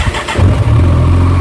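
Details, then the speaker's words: Kawasaki ZZR1400, about 28,900 km, after clutch-side repair for a loud rattle; a dented clutch basket was found. Brief cranking catches quickly into a steady, even low idle with no rattle; the noise is gone. "go the noise is gone she's gone the noise is she's gone"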